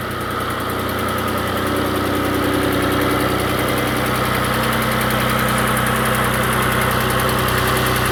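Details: Engine restarted after adding Lucas heavy duty oil stabilizer, previously warmed a little: settles into a steady idle with a regular light tick moving from the front toward the back, still there after the additive; little difference after 4–5 minutes.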